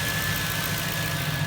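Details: 1998 Jeep Wrangler TJ with 5.3 LM7 V8 swapped from a 2003 Chevy Tahoe, first run after fixing fuel pump and wiring, heard at the exhaust: steady, even low rumble with no misses, knocks or ticks; healthy idle.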